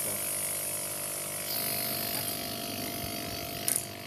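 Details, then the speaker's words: Scrap refrigerator compressor converted to tyre pump; it had run dry of oil and couldn't draw air, so it was cut open and refilled with oil: now steady even hum with light buzz; normal running after repair. "Vlog này của mình nó bị khô dầu thôi, nó khô dầu nên mình nó không hút được vào nên phải cắt ra để cho dầu vào. Sau khi cho dầu xong thì nó đã hoạt động bình thường rồi."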